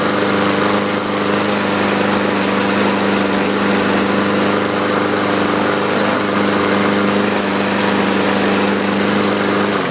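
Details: 2015 Yard Machines (MTD) 21-inch mower, Briggs & Stratton 550E 140cc engine, after carburetor cleaning (previously started briefly then quit): steady even buzz, clean unbroken rhythm, no surging or misfire; normal running.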